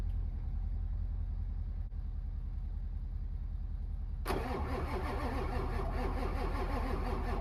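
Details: Diesel cranked in winter: slow, even cranking at about two and a half turns a second for four seconds before it catches and runs rough; hard starting.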